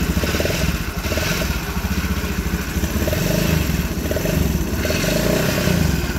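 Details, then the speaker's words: Honda Scoopy FI scooter engine idling, recently taken apart elsewhere: gritty, sandy drone from the middle of the engine from a rough, play-afflicted crankshaft bearing, to be replaced with an original bearing. "H bisa didengar ya kondisi si di awalnya ini seperti suara pada bagian tengah ya atau suara lahar kroas"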